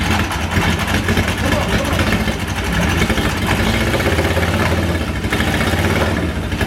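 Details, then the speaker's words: 1977 Honda Hondamatic barn find, not started in unknown years, choke on, carbs need adjusting; ragged uneven firing as engine barely catches then dies: starts then stalls. "She's trying. She really is trying. Oh, she's so close, so close. I don't know what else to do."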